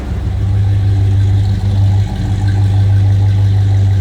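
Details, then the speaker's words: 1969 Buick Wildcat 2-door hardtop V8 at idle: deep, even rumble with a steady low beat and only a brief dip in level; engine sounds healthy. "A little rumble coming out of that Buick. Sounds good."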